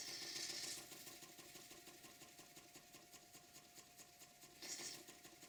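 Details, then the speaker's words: Restored vintage Bassett-Lowke model steam engine running on compressed air, with recording volume greatly boosted since it is very quiet. Quiet, even ticking at about three to four beats a second with a faint hiss; it runs smoothly. "It's running on compressed air. And some viewers say, can you turn up the sound of your engines running? Well, they don't make much noise. The sound on this clip is really turned up."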